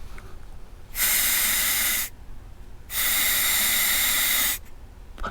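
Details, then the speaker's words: Keihin PWK 36 carburetor from a KTM 300 XC-W, tilted about 60 degrees, air blown through the fuel hose with the float off the needle: two clear hissing bursts as air passes the open needle seat. Tilted back, the seat seals. "blow through the hose with the float not contacting the float needle you'll be able to hear the air going"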